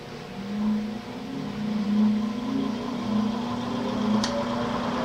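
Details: Old 20-inch Coronado box fan from the garbage, repaired: burned-out low-speed transformer bypassed, motor wired direct for one speed. Steady loud motor hum with a soft swell and airy rush, no knocks or scraping; runs smoothly.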